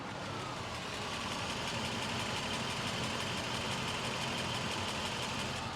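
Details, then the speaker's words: 1987 Mercedes-Benz 560SL (R107), 93k miles, microphone on each cylinder bank at idle: steady even idle with slight speed rise and fall, no valve or tappet noise, no difference left to right; no valve job needed. "And I I don't hear any any um uh any difference. And there's no loud valve noise or tapity noise suggesting it the car needs a valve job."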